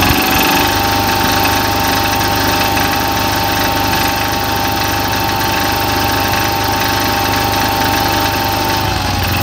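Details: Cub Cadet mower engine idling steadily with a loose, uneven rattle over its low drone; cause unknown.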